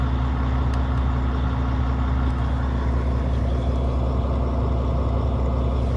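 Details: Volvo FH16-660 truck, about 1,150,000 km and 27,250 engine hours, first start in two months after injector sleeve and flywheel replacement, engine unopened: deep, steady six-cylinder diesel idle, even low rumble, no knocks or misses; healthy.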